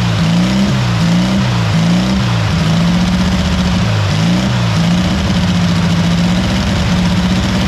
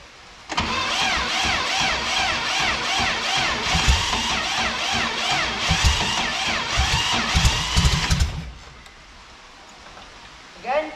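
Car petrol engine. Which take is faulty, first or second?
second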